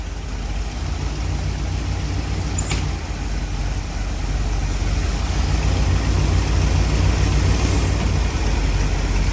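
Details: 1968–72 Corvette C3 idling while the headlight and wiper-door vacuum system is repaired: deep, steady idle rumble with even beat, no knocks, misses or hunting; engine idling normally.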